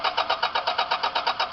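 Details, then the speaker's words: 2000 Toyota Camry, crank position sensor already replaced without success: starter cranks at a steady rapid beat, about seven turns a second, but engine never catches; no spark, injector pulses present, ignition fault suspected; crank no start. "they're going to crank it and as you can see this is cranking but there is no spark okay"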